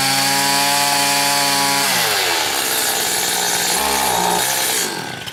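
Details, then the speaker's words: Stihl FS80 trimmer after a carburetor rebuild and ultrasonic cleaning, with the low-speed screw cranked in about 1.5–2 turns: engine screams briefly, then pitch sags and hunts before dying, will not hold high rpm. "Well, it really doesn't want to come up now, so that's interesting."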